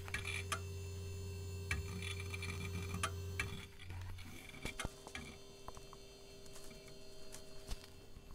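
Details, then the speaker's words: Hard drive in a vintage 90s Packard Bell A940 desktop during boot: sharp, irregular ticks, a couple each second, over a steady low hum that sounds awful. The cause is unclear, and the drive later sounds normal. "hard drive no innate that sounds awful is this microphone picking that up"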